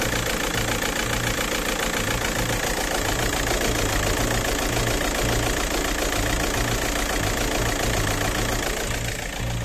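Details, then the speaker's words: Škoda Octavia 2.0 TDI idling lumpy and shaking with an uneven pulsing beat, as if running on about 2.5–3 cylinders. Probably a faulty timing belt job, with timing shifted about 6–7 degrees (retarded injection). "To znamená, že ten motor ide tak na 2,5 až 3 až 3/4 valca."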